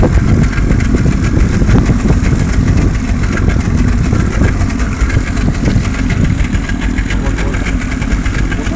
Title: 94/95 Mercury 75 (rough idle)